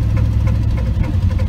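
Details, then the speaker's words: 1983 Chevrolet C10 Silverado with a small-block 350, recorded while driving: deep V8 rumble with a light, regular tick about three times a second. Owner suspects a burnt valve, bent pushrod or misplaced rocker arm, and also mentions an exhaust leak. "i think it's something in the top end i've got a burnt valve where i've got a uh a bent push rod or a rocker arm that's not in the right spot or something"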